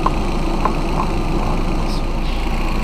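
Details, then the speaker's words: Boosted VW Golf, first start after reconnecting the boost pipes and intercooler, tightening the clamps and topping up fluids following oil-cooler coolant contamination: a low, steady, even idle with no knocks, misses or hunting, sounding quite nice. "actually sounding quite nice"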